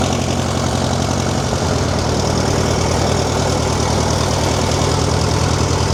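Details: Tractor: a fast, steady hum that never drops back to tickover. High idle; the governor seems seized.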